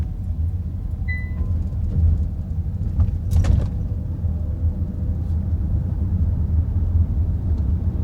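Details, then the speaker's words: Kia EV3 GT Line S electric car after one year, driving over speed bumps after spraying silicone lubricant on the tailgate lock mechanism; low road rumble, a dull thump, no rear rattle as before, boot rattle fixed. "Right, I'll just run down our road and back over the speed bumps, and you should hear that it's not rattling like it was before."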